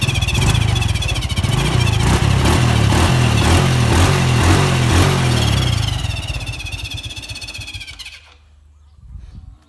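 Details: A stock, unmodified Honda Wave 110i fuel-injected motorcycle of unknown year, started with the electric starter, idles with an uneven throbbing beat about four times a second before shutting off. The owner is asking what causes the strange noise.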